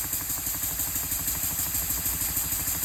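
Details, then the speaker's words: Elmer's #33 model mill steam engine running on compressed air: quick, steady chuffing at about three beats a second under a constant hiss. Air is leaking around the cylinder head and the packing nuts. "So, I can see we're leaking a little bit of air around the cylinder head there. And sounds like and feels like we're leaking a little bit air around the packing nuts."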